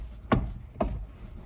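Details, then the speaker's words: 2011 Hyundai i30 1.6 diesel; three dull knocks from inside the steering column when the wheel is turned; plastic gear at the electric steering motor suspected, fix by replacing gear. "that noise there I believe is a gear that's inside of it"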